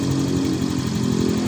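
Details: Fino 125 scooter after repair of low-rev stutter (brebet) and power held back mid-upper revs: smooth, even idle with steady low beat, no misses or surges; scanner shows stable idle, injector duration back to 2–2.5 ms; running healthy.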